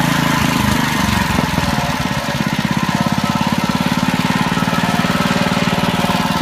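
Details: Honda HRD535 lawnmower after repair of gearbox/roller drive problems, engine slightly uneven at first, then a quick regular putter at constant speed with no surge; works satisfactorily, normal running.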